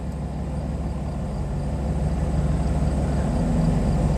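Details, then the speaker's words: IROC-Z V8 after high-idle fix: settles from misfiring 1100 rpm to steady idle about 650 rpm in neutral, 500–550 in gear; high unstable idle was caused by the OBD1 scan tool connection. "it takes it a minute to recover but now it's down to like what 650 i'm in neutral if i put it in gear about 500 550 very nice and normal"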